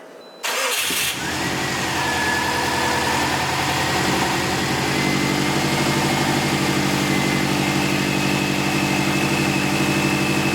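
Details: Subaru STI after engine replacement, second start: quick crank, engine catches and settles into steady, even idle with no knocks or misses; smoke from new heat wrap and turbo blanket, oil pressure, coolant, power steering and A/C working; normal idle.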